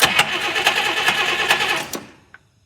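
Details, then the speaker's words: 1959 Buick with messy wiring, two coils and two switches, with fuel present: the starter churns evenly at about two turns a second but the engine never catches; extremely weak spark while cranking, no start. "all right so i just cranked it we have extremely weak spark while cranking extremely weak"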